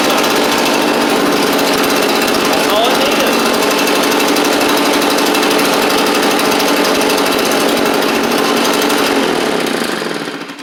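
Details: Echo PB755-ST backpack blower after a carburetor replacement. Before the swap it barely ran and quit when throttled or taken off choke, with a bad diaphragm suspected. It now holds a steady, even high two-stroke drone before shutting off: normal running.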